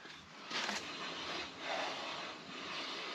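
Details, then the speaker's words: Chevrolet Silverado being prepped for a long trip, front end jacked up, front wheel spun by hand: soft even hiss with light brake rotor brushing, no roar or side-to-side play; healthy wheel bearing on this side, unlike the rough other side. "I can hear the uh brake rotor but other than that the bearing sounds really good it doesn't have that Roar sloppy feel to it so I think the bearing is good on this side"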